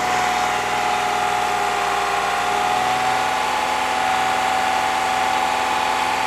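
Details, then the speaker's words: 2015 Toyota Sienna AWD 3.5 held at 2500 rpm to check for an exhaust leak between the bung and the new bank 2 sensor 2 downstream O2 sensor, whose threads were chased. Steady hum with no ticking or puffing, so no exhaust leak. "shut it off now. If there's no exhaust leaks, so we're all good."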